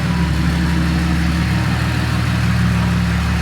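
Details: TD42 diesel Nissan Patrol, freshly built with an F66 turbo and 11 mm boost-compensated pump, on the dyno. Steady, deep diesel idle with an even low rumble and faint clatter, no misses or knocks. Normal diesel idle.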